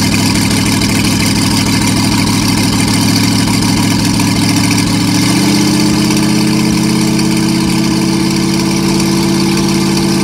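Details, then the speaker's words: Packard 356 marine engine (nine-main-bearing, circa 1950), first run after rebuild; had to clear out oil from cylinders, then cleared fine: steady even idle lifting slightly midway, no misfires or knocking; normal idle. "i had to clear it out a little bit there but it cleared out just fine"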